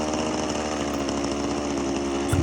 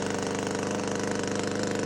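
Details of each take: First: Power PRO24 24cc two-stroke petrol hedge trimmer at full trigger, revs surging intermittently then bogging and cutting out; cause a faulty carburettor, later replaced. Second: Power PRO24CCHTA 24cc two-stroke petrol hedge trimmer after carburettor replacement, previously surging intermittently at full trigger from a suspected carburettor blockage; now holds a high, even buzz with no surging, running steady.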